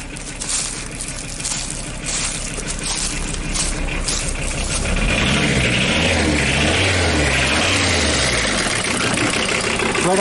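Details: Audi diesel started after standing at least 12 years: clatters at a steady knock rate, catches and settles into a rough idle with a couple of revs, smoking heavily; ignition timing advanced, rotten fuel pipe leaking; rough running after long storage.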